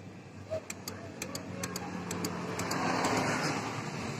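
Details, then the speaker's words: Yamaha X-Ride scooter, electric starter only gives sharp dry clicks, several a second, with no cranking. The button and bendix are judged normal; the mechanic predicts a starter motor fault, worn brushes or a loose magnet, and replaces the brushes. "Ini mau ganti stang dan juga starternya nggak nyala ya. Dia ada bunyi cetik-cetik gitu."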